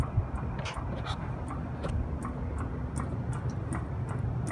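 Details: Copeland compressor after CoreSense replacement (relay stuck open), acidic oil drained and drier changed: sharp light ticks, two to three a second, over a low steady hum after pumpdown; cause unclear.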